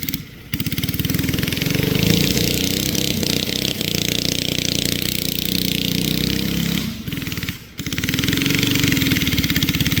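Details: Flathead Briggs & Stratton alcohol race go-kart engine, barn find sat over 30 years, running E85, test run: fast, rough single-cylinder putter sags and briefly drops out twice under throttle; engine bogging, carburetor issues suspected.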